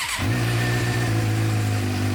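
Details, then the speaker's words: 2006-2007 Suzuki GSX-R 600 warming up; steady smooth idle with even low hum, no misses or stumbles; sounds much better, clogged injectors still suspected. "that sounds way better already so let's let it warm up for a second we'll let her warm up it sounds way better already"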